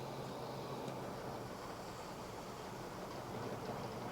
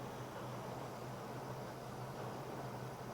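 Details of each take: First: Autolite 4100 carbureted engine idling roughly with a vacuum line removed entirely, steady airy hiss over the rumble; running bad, a large deliberate vacuum leak, runs normally when plugged back. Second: Notice as we spray it around the base of the carburetor running here that we don't get a change, which means that we do not have a leak.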